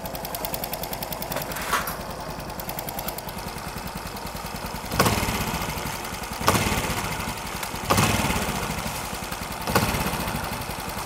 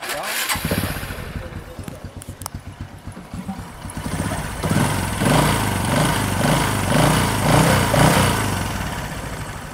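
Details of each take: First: Engine fully rebuilt except the ignition system runs a crisp, steady idle with light even valve ticking and throttle blips, no knocks or rattles inside: healthy, normal running. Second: Motorbike used for motorbike-taxi work, running weak and slower than a rival bike: revs with a rough, rattly drone pulsing about twice a second, pulling weakly; harsh noise from a poor top-end rebuild and non-genuine clutch shoes.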